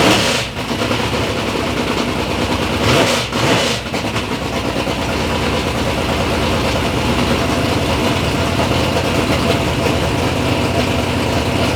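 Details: Third-gen Camaro with big-block Chevy V8, first start-up after years of building: ragged catch in the first seconds, then a smooth, steady, deep lope with no knocks or ticks; normal, healthy idle.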